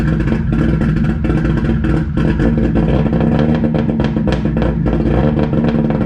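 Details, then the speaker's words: 1JZ-swapped Lexus IS300 on first startup, straight 3-inch downpipe and axle-back 2.5-to-4-inch tip: loud, choppy, uneven idle with irregular pops and stumbles; not cammed, just running very rich, idle needs tuning. "As far as chop wise, it's not cammed, it's just running very rich, so it sounds like that. but I think we would be decent if we get the idle a lot better."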